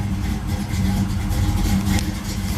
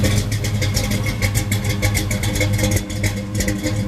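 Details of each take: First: 1973 Camaro Z28 V8, cold after sitting, running without choke: low, loping idle that wavers and sags as if about to stall, almost idling by itself; temperature gauge still at zero, engine not warmed up yet. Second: 1973 Camaro Z28 V8 heard outside the car, now idling by itself: loping idle from a fairly radical cam, each cylinder's pulse heard distinctly over a deep steady rumble; the normal sound of this healthy engine.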